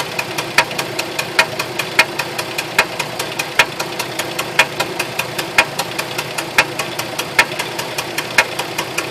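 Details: 2004 Jeep Liberty automatic 4x4 petrol engine idling with a sharp, regular knock about once a second, which started suddenly; cause unknown.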